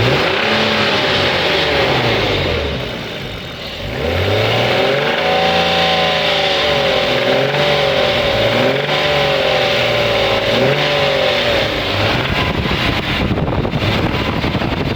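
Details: BMW E36 328 M52 petrol six revving up and down with a dry metallic rattle; owner suspects tensioner or VANOS, sound seems from rear of engine on inlet side; cause unconfirmed.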